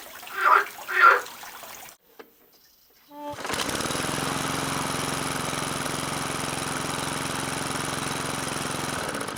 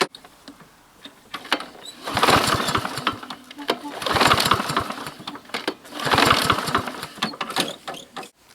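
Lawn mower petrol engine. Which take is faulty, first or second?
second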